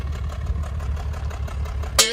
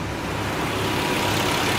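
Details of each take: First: Nissan 300ZX V6 idling with a dead miss, an uneven stumbling low beat from one cylinder not firing, cut off by a brief whoosh; misfire still undiagnosed at this point. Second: Nissan 300ZX petrol V6 after misfire repair work idles with a steady, even hum, no previous hiccup; runs smooth, though water temperature is a bit higher than wanted and fuel filter change still planned.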